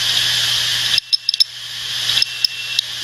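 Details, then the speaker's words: Opened hard drive given many write commands: soft, irregular popcorn-like ticks in small clusters over a steady high platter hiss as the head jumps between tracks; normal seek clicking. "so as it jumps around contractual track it does make a little sort of a popcorn sounds"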